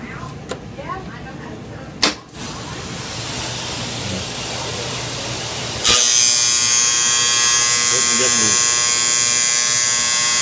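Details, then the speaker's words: Small Dexter washer: loud, harsh intermittent electric buzz, like an alarm, that grows louder, from the worn, loose door lock solenoid in the top corner. "we're getting that buzzing it's uh it's kind of intermittent but then it gets more and more and what it is is the door lock solenoid right here in the top corner"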